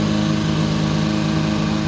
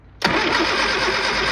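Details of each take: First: Old Austin Mini Cooper after new distributor wire, distributor and fuel adjustment, idling with a couple of throttle blips then settling to even tickover; sounded bad at first, now running good. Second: Old Austin Mini Cooper with ignition parts being rewired: the engine spins over with a harsh, steady churn but never fires. Cranks but won't start; ignition timing or the burnt points are suspected, not confirmed.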